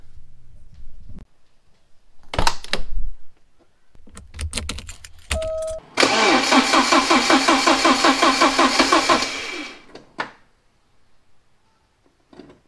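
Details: Porsche 944, first start after head gasket replacement and reassembly: engine catches and idles rough with a stumbling, lopsided beat, suspected misfire on one cylinder; fuel injectors to be checked by firing them manually.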